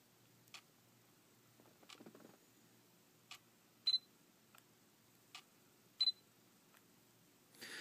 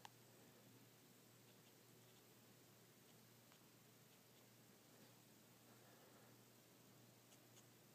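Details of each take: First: Sony SEL35F18 lens on a NEX-7, camera switched on and off: quiet clicks and beeps plus a brief rough scraping grind from the aperture, far louder than the normal OSS noise. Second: Sony SEL1855 kit lens on a NEX-7, microphone held close to the camera: nearly silent aperture opening and OSS, only a faint steady hum and soft ticks; normal and far quieter than the grinding SEL35f18 prime.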